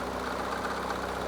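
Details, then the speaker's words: Project car started for first time after many changes, a week before a road trip: light fast metallic rattle over a steady idle; owner thinks something may be loose, source unconfirmed. "Car started right up. However, there's a really weird noise going on that I don't like at all. A noise that I've never heard before. Something sounds like it's rattling again."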